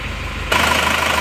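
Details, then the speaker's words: Isuzu Panther diesel at warm idle after repair for heavy oil consumption (dipstick tube had been restricted to hide blow-by; clutch disc and transmission bearing also replaced), valve cover still off; even beat, normal valve clatter, fairly smooth, normal idle. "seperti ini lumayan halus Ya lumayan halus jadi ini masih belum ada covernya ya belum ada covernya juga belum kita pasang"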